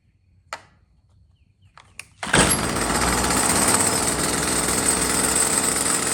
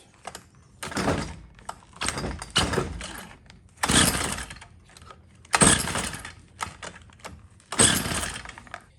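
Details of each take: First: Stihl FS45 trimmer that died after 15 minutes and wouldn't restart, after carburetor replacement, choke on: a few clicks, then the two-stroke catches and settles into a steady, even buzz with no misses; runs fine. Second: Stihl FS45 trimmer (would die after about 15 minutes, then not restart; no fuel reaching bulb), after carburetor replacement: about seven rough recoil pulls with no firing; no start because the on-off switch was left off.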